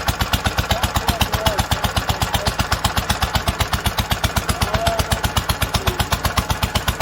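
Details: 1946 International Harvester LBB 3-5 hp water-cooled single-cylinder engine, first cold start after long storage, choked: crisp very regular thump about four beats a second, no skips or stumbles, normal running.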